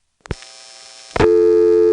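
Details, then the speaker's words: Senderized XY step exchange, Prince William County VA, 1970s, call to 594 Knoxville dialed normally: sharp clicks, then a steady pair of tones while the register sender stays on the line; call progressing normally but unheard. "we did hear the register sander dialing but we didn't hear the call progressing because the register sander was on the line the whole time"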